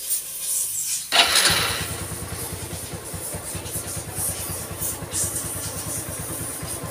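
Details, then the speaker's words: Honda Revo FI injection motorcycle with a rough rattling engine, after realigning the cam (eccentric) gear timing marks: engine catches after a short crank and settles into an even, quick idle with no top-end ticking or rattle; normal start and idle. "mantap suaranya adem jadi inti masalahnya sentrik guys"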